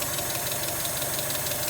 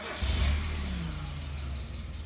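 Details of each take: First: NA Mazda Miata after cam bolt repair, ignition timing set to 10 degrees with a timing light: even, steady idle with a quick regular beat and no misses, pinging or rattles; normal idle. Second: Mazda Miata NA, first start after the cams were reinstalled with the cam gears torqued to 41 ft-lb: it flares, then sags into a low, uneven idle and dies. Cause: the intake tube was unseated at the MAF sensor.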